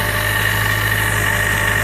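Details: Mazda Miata with a Jackson Racing M45 supercharger: a steady high whine of constant pitch over a smooth idle. Supercharger whine, possibly bad bearings.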